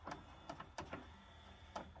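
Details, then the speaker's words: Yamaha CDC-755 five-disc CD changer: small tray motor whirs under scattered clicks but the tray won't come out unassisted. "hit open you can hear the motor running in there and it just won't this just tray just won't come out"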